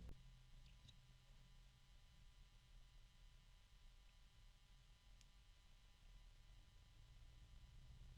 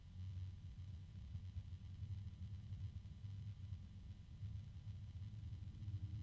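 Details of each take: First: 1,350 RPM PC case fan (ordered as a 2000 RPM model) at close to its lowest speed on a fan controller: barely audible steady soft hum, very little noise, occasional slight clicking and low-pitch harmonic resonance. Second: PC case fan rated 1350 RPM, at its maximum speed and sitting on a desk: a low droning hum that swells and repeats over the quiet fan noise, a fan resonance that is noisier than expected.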